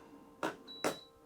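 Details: Mr Cool mini split AC newly installed in a 2019 toy hauler RV, powering on: two short clicks with a brief clear high tone between them, a normal power-on chime.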